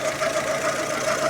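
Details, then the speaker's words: Fiat Siena at idle: fast, pulsing mid-pitch chirp a few beats a second from the accessory belt drive, persisting after the power-steering belt was removed; variable oil-flow solenoid was found clogged, water pump seemed fine; source not yet confirmed. "Aqui então tiramos primeiro a correia da direção hidráulica aí. E o barulho ainda continua, né?"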